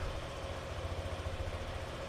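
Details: Old Yamaha NMAX scooter started with a DLC scanner connected, RPM read on the scanner: steady, even low putter with no misses or knocks; starts cleanly and settles into a normal idle.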